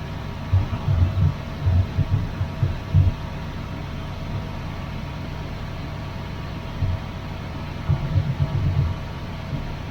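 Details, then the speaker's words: 1981 Chevrolet Camaro Z28 V8, carburetted, newly connected loud electric fuel pump possibly not pumping: low uneven idle lopes, sags and surges toward a stall; owner unsure it is fuel starvation, says it has been dying like this before. "Oh, now it's dying. That might not be because it's run out of gas. That's just what it's been doing."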